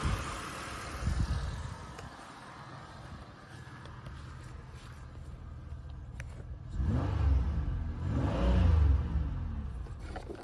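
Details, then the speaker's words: Flooded Buick Rendezvous from a Copart salvage auction, drive-by-wire, revved from inside the cabin: engine picks up cleanly through quick blips and settles back, no knock or slap; running really well. Normal revving. "seems like it's running really well actually oh that sounds perfect"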